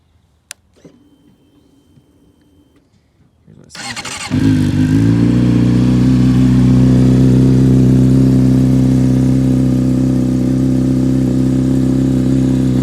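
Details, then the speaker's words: Rebuilt wrecked 2008 Honda CBR600RR with 15,777 miles, a new battery and oil of unknown age: quiet handling, then the engine fires and settles into a steady, even idle with no knocks or misses. It runs good now; normal idle. "It runs good now. I'm gonna have to change the oil because I don't know when the guy changed it."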